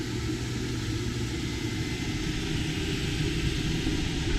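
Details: Axopar 28 (2019) boat, newly installed air conditioner powered via inverter at 13.2 volts, fan-only mode: steady even airy rush with low hum, no rattles or surging; blower fan runs smoothly and normally.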